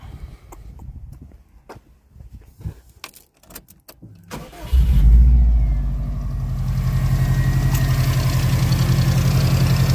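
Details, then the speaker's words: Subaru Impreza after A/C idler pulley replacement and belt retensioning: engine cranks, catches and settles into a smooth idle, the earlier belt squeak now gone. "like so changing that pulley has got rid of that squeaky noise which is perfect"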